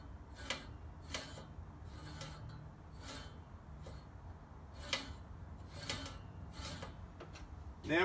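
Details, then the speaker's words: Scott Bonnar Model 45 mower, freshly sharpened reel and bed knife, both sides set and nylocks tightened: hand-spun reel gives a light crisp rasp about every 0.7 s, spinning freely and just nicking the bed knife; correctly set. "so both nighlok's and our tightened here that the reel spins freely and you can hear it just just nicking the top of the bed no"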